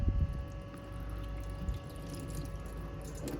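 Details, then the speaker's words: Cheap neglected motorhome bought off eBay: steady rush of water from the tap with faint constant pump hum underneath; hot water comes out nice and warm, flow strong and even, working perfectly. "That's working perfectly. That's nice and warm as well."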